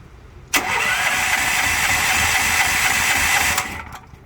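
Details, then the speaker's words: Generator on a choke-pulling remote setup: steady fast cranking for about three seconds without firing; it will not start without the choke. "So yeah, you can see it obviously doesn't want to start without a choke."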